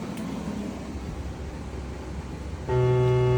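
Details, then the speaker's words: Stereo connected to a PC: faint hiss, then a steady low buzz with a thin whine on top that starts abruptly and holds, with high-pitched noise when the treble is raised; unwanted interference that does not occur with an iPhone. "It is not supposed to do that. And when I do the treble I can hear high-pitched noises. Like it's really ridiculous and it's upsetting."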